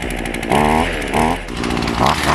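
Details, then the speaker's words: Cold small two-stroke engine with the choke toggled in and out while cold: buzzy note surging and sagging in short bursts; normal running on choke. "sometimes I'll I'll toggle it uh in in and out of Choke while it's cold"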